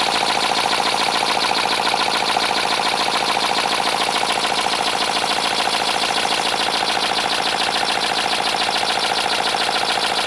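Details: 3D-printed 412cc V8, about 50cc per cylinder, high friction, second run before any oil added: fast even clatter about two beats a second over hissy air rush; owner suspects lack of lubrication but unsure, then adds 5W-30 via intake.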